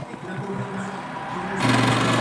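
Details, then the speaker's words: Noisy spin dryer after brake adjustment; steady motor hum, then a harsh hissing scrape as the drum spins up from the brake pad dragging, adjustment did not fix it, brake pad replacement considered. "Ayan, maingay pa rin siya. So yung sabihin, hindi na umubra itong adjustment na ito mga paps ha."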